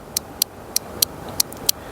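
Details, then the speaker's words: Mercedes C250 during ECU diagnosis, relay removed and bench-tested by applying power to its switch terminal: six crisp sharp clicks about a third of a second apart, showing the relay is working. "and you hear that the relay is clicking so this relay is working"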